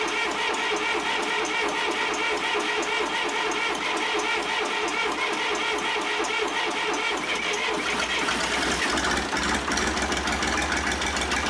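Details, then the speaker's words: John Deere 350B bulldozer rebuilt diesel, first start after rebuild: rough fast even clatter with rising hiss, coolant blowing out radiator cap; head gasket leaking combustion pressure into cooling system. "now we've got some cooling overflow we're building pressure that fast"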